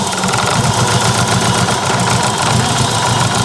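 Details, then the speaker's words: Mitsubishi Lancer Evo 8, abandoned-car restoration, first start with new ECU, new plugs and coils: rough, lumpy idle with an uneven stumble as one cylinder drops out; injector one has no power, an injector wiring fault under the intake manifold. "both wires have power injector one does not so it appears we have an injector wiring issue"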